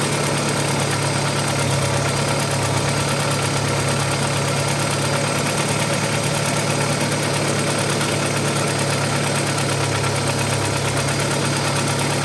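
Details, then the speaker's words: Audi 80 B4 2.0 L petrol at cold idle, oil pressure good, after an airlock was cleared. A fast light tapping in time with the engine; suspected hydraulic lifters, to be checked at operating temperature. "По ходу дела всё-таки гидрик."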